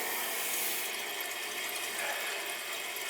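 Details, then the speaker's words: Gas boiler with cold second-floor heating zone: continuous hissing, gurgling rush of water in the pipes; plumber believes the zone is airbound, likely the noise heard in the house, radiators need bleeding. "I mean, it's probably flipping airbound. Yeah. That's probably what's been making the noise in the house."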